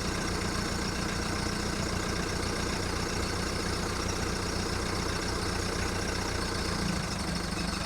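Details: VW Golf Mk1 1.9 turbo diesel warming up after first start following 5 months of winter storage: cold, uneven, lumpy clatter around two and a half beats a second with a wandering rhythm; rough idle.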